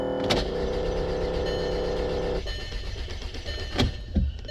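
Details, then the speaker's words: 2006 VW Passat that stalled: the starter cranks evenly but the engine never fires. Gauge on the low-pressure fuel line shows only about 10–20 psi, not enough; the pump electronics work since pressure rises with the key on. "So we got about, what is it, 15 to 20 psi of fuel pressure being pumped into the low side. Conclusion, that's not going to be enough."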